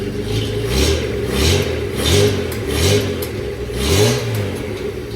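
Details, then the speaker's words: Petrol engine, cold next-day start after exhaust fix and new spark plugs, radiator and alternator disconnected: throttle blips rise and fall smoothly with no misfire or clatter; runs much better, normal revving. "The new spark plugs definitely made it run a lot better. I think them other ones were God knows how old. But, I mean, it is smooth. Very smooth."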